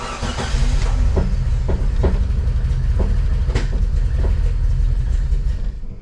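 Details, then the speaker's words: 1998 Jeep Wrangler after engine install, no oil pressure yet: uneven lumpy running with irregular thumps and stumbles, owner suspects crossed plug wire and checks timing; misfire later traced to a bad crankshaft sensor. "Still got no oil pressure and it's running a little rough."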